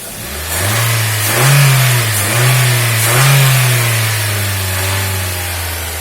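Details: Toyota Axio with an idle problem, low pickup and stalling with the AC on, its electronic throttle body butterfly being cleaned: a steady low idle hum that swells smoothly with each throttle blip and settles back evenly; normal idle and revving.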